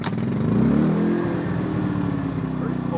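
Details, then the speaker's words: Smarter Tools generator, after repair of a carburetor fuel leak, started with choke and fuel on: it fires, revs briefly, then the smart throttle idles it down to a steady, even run with no misses or knocks. Normal start and idle. "starter no flying throttle on that turns the smart throttle on idles down running good problem with that"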